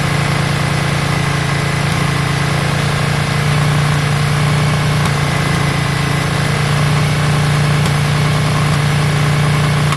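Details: Yamaha Virago V-twin after carb work, just started with choke on: a steady, even idle at raised choke speed with a constant low drone and no misses or stumbles. It doesn't sound too bad.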